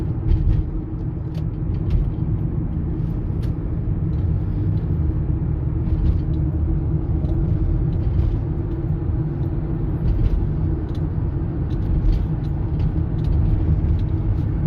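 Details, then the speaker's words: 2009 Toyota Sienna FWD 3.5 V6 minivan cruising: constant low growl under steady road noise, sometimes very loud; owner suspects a front wheel bearing, side unknown, unconfirmed. "So I can hear it very clear sometimes get very loud you know but it's always the sound there the noise of the wheel bearing"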